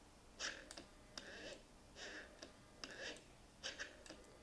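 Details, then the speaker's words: Mercedes SL600 repaired throttle actuators driven together by the EGAS module in a quiet room: faint paired clicks and short whirs about every second as both sweep in sync; both work fine. "right now when you open one obviously you see the other one follows so they both work synchronized but camera focus on this one so as you can see both units work fine"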